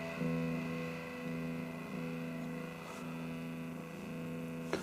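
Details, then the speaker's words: Marshall MOSFET solid-state amp found dead after storage: speaker output weak, distorted and buzzy over a low hum despite high volume, while line out into another amp gives strong noisy signal; output stage suspected faulty. "strange sounding output even though yeah you can hear it sort of distorted and farty the volume is actually up pretty high"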